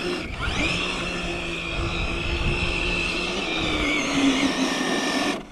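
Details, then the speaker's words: Infraction RC car on 8S with new Hobbywing Max 6 G2 1650kv combo after hard tire-burning runs: high steady motor whine holds about five seconds then sags and cuts out; owner thinks ESC low-voltage cutoff. "Oh yeah, now she's, see, I think it's in low voltage cutoff. Yeah, it is."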